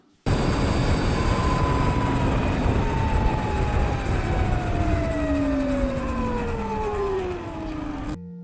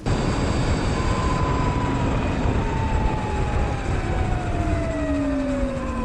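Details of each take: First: Surron electric dirt bike: clear high whine falling steadily in pitch as the motor slows; primary belt between motor and jackshaft too tight, fixed by loosening belt tension incrementally a notch. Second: Sur-Ron electric bike after loosening primary belt (jackshaft to motor) a notch with incremental tensioner: steady road roar with a soft tone falling as it coasts; no harsh belt whine, tension sounds right.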